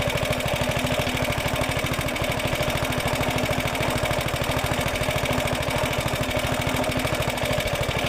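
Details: Roughly 70-year-old Suffolk Super Punch 17-inch cylinder mower, SIF 75cc cast-iron engine, running on oil-petrol mix after carb and points clean, microphone fitted; rapid even popping at constant speed, no misses or surging; clean normal running.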